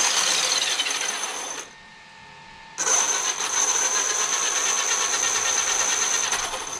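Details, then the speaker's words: Traxxas X-Maxx 8S RTR RC truck after motor bearing replacement, drivetrain spun up; high thin rattly whine cutting out and returning, from chipped pinion and spur teeth; gear whine. "so the gears are sounding a little funny just because the chipped tooth they put a little ding put a little ding in my ding-a-ding"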